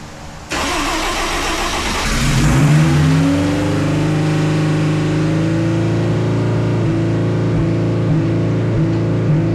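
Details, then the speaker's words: 1974 Alfa Romeo GTV with an S2000 engine and e-throttle, first start: the engine catches and flares straight to about 3,000 RPM, then hangs choppy against a fuel cut. "So, everything fired up as you can hear, everything's great, but it does uh rev straight to 3,000 RPMs and hits some sort of fuel cut and, you know, and basically I shut it down very quickly after that."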